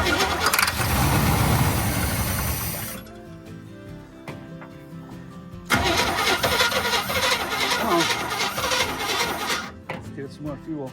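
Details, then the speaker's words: 1972 Chevy C10 402 big block, flood survivor unrun about 25–30 years, started on starting fluid into the carb; cranks, catches, runs rough a few seconds, dies, fires again: fuel starvation, owner unsure if the fuel filter was changed. "Okay, starving for fuel. Looks like I [music] don't remember if I changed that filter."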